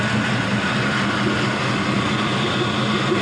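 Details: LM7 5.3L Gen 3 V8 with 180,000 miles, drive-by-cable and a programmed PCM, started as close to cold as possible at 104°F ambient. It starts easily and idles with a steady, even drone, showing about 42 psi on the mechanical oil gauge.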